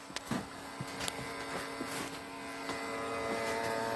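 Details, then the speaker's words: Beige Power Macintosh G3, long stored in an attic under dirt and debris, running after boot: a steady buzzing drone with held tones and irregular ticks. The noise comes from the rear fan; the owner suspects a bearing issue, unconfirmed. "It's the fan. It's the fan on the back of this thing. I think it's a bearings issue or something."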